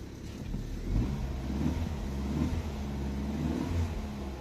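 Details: Opel (Vauxhall) with a P0335 crankshaft position sensor cranking no-start problem: the engine fires, picks up cleanly, revs in a few smooth blips and holds an even idle, now starting and running normally.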